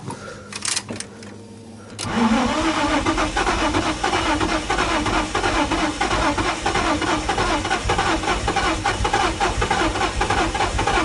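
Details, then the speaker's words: Nissan 350Z that was flooded and sat over a year, first start after wiring/harness transplant and refitting the mass air meter: quiet clicks, then engine catches and runs rough and uneven, no pedal response, shuts off; vacuum leak suspected. "Running. Not getting any out of the pedal. Nope, shuts right off on a vacuum leak. But, I mean, it ran. It did, it ran."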